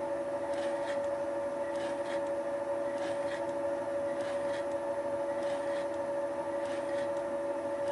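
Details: Thiel Duplex 158 milling machine with Wohlhaupter UPA5 head, final facing pass on a lawn mower's plastic bearing housing: a steady high hum under a soft scrape about twice a second. The clicking comes from the radial feed mechanism, and the face cleaned up nicely.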